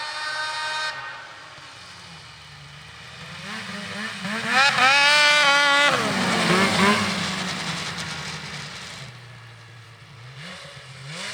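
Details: Polaris IQR 800 two-stroke snowmobile (shorty conversion) under throttle passing by, about 8,000 rpm (owner wants 8,500 via clutch weight change): crisp wail climbing, holding, fading; pulls cleanly, normal.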